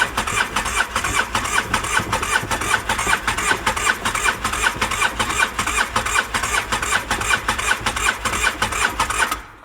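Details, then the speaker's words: Used two-cylinder ATV with one cylinder low on compression, cranked on the starter: steady, even cranking of about two and a half beats a second that never catches; cranks but won't fire, needs a top-end job. "Yeah, she ain't gonna run like that. Then it'd be running on one cylinder if I did manage to get it fired. So this thing gonna have to get torn down for a top end job."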